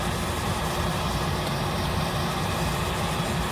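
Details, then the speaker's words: Home oil burner after running out of oil, restart attempt: steady rough rumble of the burner motor with no change as it tries to light; owner expects it to die and need bleeding, likely air in line. "I have to bleed it. It's gonna die. It may try to twice and see it dies."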